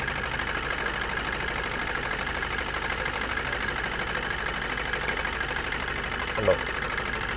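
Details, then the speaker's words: Maruti Suzuki Swift diesel with abnormal vibration and low power. With injectors unplugged one at a time, the engine died on the third but not on the first or fourth, so it runs on two cylinders. Uneven, lumpy clattering misfire at idle. "വണ്ടി ആകെ ഈ രണ്ട് സിലിണ്ടറിലാണ് run ആയിക്കൊണ്ടിരിക്കുന്നത്"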